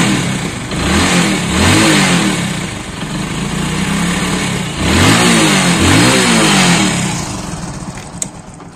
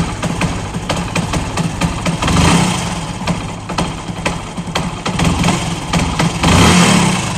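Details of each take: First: Shine/Splendor Pro-type bike that missed and jerked when cold, after refitting the cut part of a non-adjustable component: picks up cleanly on each throttle blip and settles to a steady idle without missing. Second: Cold motorcycle before repair: starts, then dies unless throttle is blipped repeatedly for a long time, with an uneven, stumbling beat between revs. It won't idle cold and jerks at light throttle; the cause is a misset carburettor needle.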